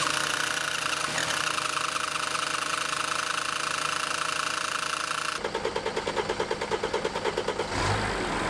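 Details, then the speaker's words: Mercedes W209 CLK 2.7 diesel after a rocker cover, cam position sensor, PCV and injector leak-off pipe repair, fuel lines cracked off: long, steady starter cranking to build fuel pressure (no lift pump; high-pressure pump draws straight from the tank) until it catches. "basically you just got to crank it for ages you can't build up with fuel pressure any other way because you don't have a lift pump or anything it just pulls it with a high pressure pump straight from tank"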